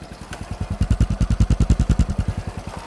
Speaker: Dũng cho nghe cho nghe tiếng máy coi nghe máy thái nổ Máy nổ nghe giòn quá giòn